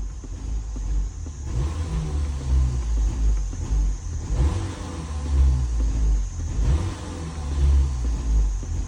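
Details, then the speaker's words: 2012 Ford Fusion 2.5L, no codes at first, stalls after cold start and on acceleration when warm: revs unevenly, chugs, sags and dies under throttle as MAF reads only 0.01 lb/s near 2,000 rpm; MAF suspected, also throttle body, pedal sensor or fuel pressure. "let off the gas stalls hit in the gas slowly and it just died oh instead of hitting the gas slowly we'll give it some RPM and now it I'm hitting the RPMs and it wants to die"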